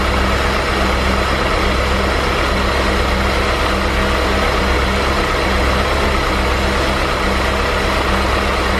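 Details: 2003 BMW E39 M5, S62 V8, mostly stock with stock exhaust, not a completely cold start: smooth, even idle with a steady low rumble and no ticking or rattle; owner hears pretty much no VANOS noise. Normal idle.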